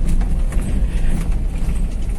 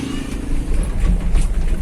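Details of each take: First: 2012 Toyota Avanza (All New) with electric power steering: dull clunking from the steering column over rough roads, heard over heavy road rumble. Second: 2012 Toyota All New Avanza on rough road after fixing the electric power steering (EPS) knock with an O-ring on the bearing: low road rumble, no knocking or vibration from the steering.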